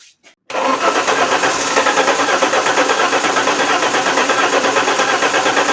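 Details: Alfa Romeo 164 2.0 V6 turbo, checked for spark, compression and fuel pressure, fuel pump relays swapped: steady starter cranking about three beats a second for over five seconds without catching. Cranks, no start; cause not yet confirmed.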